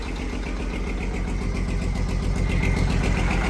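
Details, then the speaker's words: Detroit diesel truck, first start after sitting 11 years after ECM issue: lumpy heavy thumping idle with uneven lope, missing badly; engine position sensor data below normal, crank sensor suspected. "It's missing like crazy, but it's alive. 11 years. 11 years and it's alive. If it ain't reading engine position sensor, it ain't gonna run."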